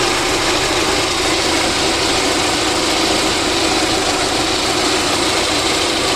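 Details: VAZ 2109 engine after a full overhaul: smooth, even idle with a steady hum and no knocks, ticks or misses; normal idle.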